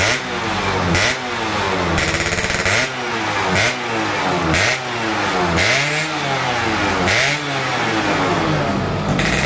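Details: 2005 Yamaha F1ZR two-stroke, semi-ported, Overseas 25 piston, original carb with RX King 90 main jet and stock pilot jet, stock exhaust, during carb retuning: crisp buzzy idle blipped about every second, revs dropping cleanly; runs healthy.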